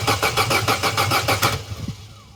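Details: Corsa B that sat neglected 4-5 years, cranking after fitting a new battery: strong, even starter churn about six beats a second for 1.5 seconds, then silence without firing. Cranks but no start.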